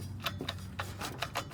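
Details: High-mileage Volvo XC90 while accelerating, straight and in turns: sharp light irregular clicks, several per second, over low engine hum, gone when coasting or idling; owner suspects a failed driveshaft CV joint.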